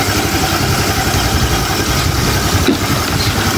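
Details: Honda Click 150i scooter after overheating with coolant lost and thermostat bypassed, now overhauled and coolant refilled: starts on one click, steady, even idle with a low smooth putter and no knocks. Normal idle.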